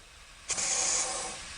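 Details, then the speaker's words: Porsche 911 Turbo 997.2 boost leak test with blow-off valves held shut and system pressurised: sharp, steady high air hiss, spray reveals bubbles at the intercooler rather than its connection; boost leak from cracked intercooler, repaired. "you hear that leak i hear it from this side let's bring the light all right so we're gonna put more pressure on it now i hear the leak and i'm gonna spray we're looking for bubbles maybe it's the connection over here on the intercooler no i see bubbles you see the bubbles over there it's coming from the intercooler"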